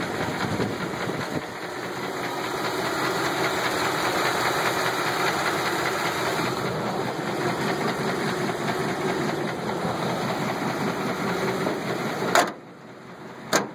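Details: 1983 GMC engine running: rough idle with loose, uneven deep knock about two or three per second; bad knock consistent with worn rod bearing.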